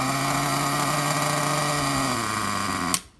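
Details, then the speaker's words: 2002 OFNA/Hobao Dominator 1/8 4WD vintage nitro glow-engine monster truck during restoration, primed and started: high buzzy note holds a few seconds, sags, cuts out abruptly; owner suspects it needs more air and priming, later starts when low-speed needle leaned. "Okay, so it sounds like it could need a little bit more air. More priming. So it wants to fire."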